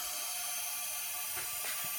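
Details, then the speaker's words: Junkyard 2.8 CRD diesel for a Jeep Liberty KJ, leak-down test on cylinder #4 with the crank moved slightly: a steady sharp hiss of air leaking while the cylinder still holds pretty good pressure. No valve or valve-seat problems found. "and here it's leaking more it's still holding pretty good but you can hear it leaking"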